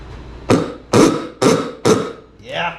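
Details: 1963 Chevrolet C10 old "ooga" horn after rebuild, bench-tested on 20 volts: four strong, loud honks about half a second apart, each clean and full, then a rising tail; horn working normally.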